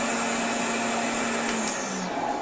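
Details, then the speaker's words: Goblin (BVC) 10283 EaseElec upright vacuum, probably late 1960s, switched on without its drive belt fitted: steady high motor whine with no brush-roll sound, then winding down; motor spinning free. "oh yes well that was how it runs without the belt on i forgot the belt"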